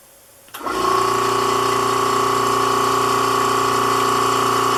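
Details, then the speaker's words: Vacuum pump bagging a 3-inch composite motor tube on the second attempt: steady whine with constant pulsing chatter that never cycles off, because the bag leaks; pressing by hand on one leak seems to stop it. "so as you slowly plug the leaks you kind of know you're gaining by how much time there is in between periods of the vacuum being on"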